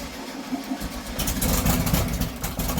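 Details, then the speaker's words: 1971 VW Super Beetle after engine swap and new clutch, first start: engine catches and settles, then revs up cleanly with an even steady beat, no knocks or misses; sounds healthy. "that sounds [Music] Wicked hell yeah she's alive"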